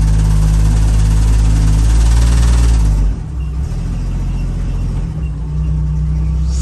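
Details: 1975 DJ5-D postal Jeep under load, reversing uphill: heavy low drone with a fast, fairly steady shudder that eases partway through; vibration, not mechanical knocking, with muffler suspected but unconfirmed.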